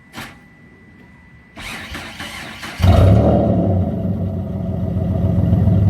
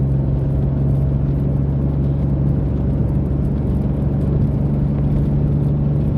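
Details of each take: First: Mitsubishi 3000GT SOHC with gutted catalytic converters, some exhaust fasteners snapped and a thicker gasket fitted: clatter then loud raspy deep idle; owner hears something, suspects slight exhaust leak or just gutted-cat noise. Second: Mitsubishi 3000GT SOHC with gutted catalytic converters, after earlier top-end flat spot; strong even engine drone pulling cleanly, no misfire, knock or flat spot; possible sunroof seal squeak.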